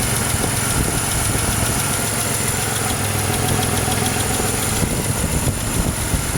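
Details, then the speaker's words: 2006 Pontiac Grand Prix supercharged V6, swapped used engine that had metal debris in the oil pan and pickup: steady warm idle with a faint quick tick, judged nothing major. No smoke from the oil cap; cause not pinned down. "Oh, my phone's dying. I hear a slight tick."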